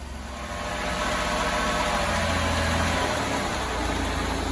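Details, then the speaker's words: Van with 420,000 km, repeatedly overheated, just reassembled after repair; check engine light on, little smoke. Smooth, even idle with a steady rushing cooling fan and no knocks or misses. Normal idle with cooling fan running. "the fan comes on blows all the stuff burning off on it at least we know the fans come on she sounds good"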